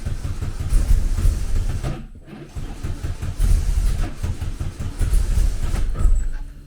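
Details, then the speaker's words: Classic VW Beetle with EFI conversion, first start after fixing a backwards-installed fuel pressure regulator: lumpy, uneven chugging that stumbles and surges. Tune is far too rich because it was set up around the fault. "That sounds very different. I mean, the tuning is going to be miles out because I was tuning it because I was tuning it in such a way that everything was arways."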